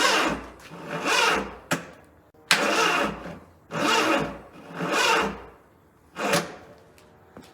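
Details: Barn car, sitting three years, fed by a booster pack: five or six short cranking bursts, each dragging slowly and never catching. Starter labours; booster pack thought weak or a bad connection, and engine later seems down a cylinder.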